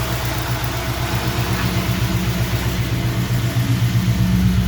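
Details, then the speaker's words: 1952 Navy truck build, V8 first fire-up with initial timing being set, idle maybe slightly high: steady low rumble with even pulse, no misses or hunting, no exhaust leaks, a little power steering noise; normal idle. "so yeah I think it's Sol SS pretty decent I don't hear any leaks in the exhaust and hear the power steering a little bit"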